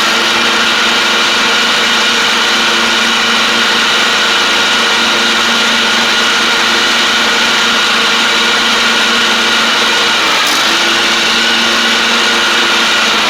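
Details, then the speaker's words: John Deere D140 riding mower, once blowing fuses, with basically new spindles: an even, steady engine and blade hum with no screaming or grinding. The spindles are somewhat loud but sound better and quieter; normal deck running. "I guess the way that those spindles are they're just kind of loud it has like I said basically new spindles on it it does sound a good deal better though a little bit quieter which is good"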